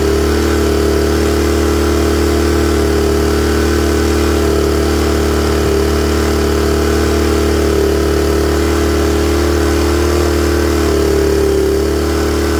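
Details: Honda EM400 generator with automatic choke, runs a bit rich on choke until warm then clears; smooth even drone with steady hum, no hunting or misfire; normal idle once warmed up.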